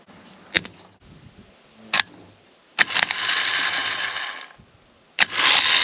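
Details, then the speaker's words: Starter motor bench tested on a new battery of about 12.5 volts after hammer tapping freed it; sharp solenoid clicks then fast high whirring with a coarse uneven edge, Bendix works, spins fast but sounds rough. "it seemed to free it up and the Bendix works good it spins fast it doesn't sound great I admit"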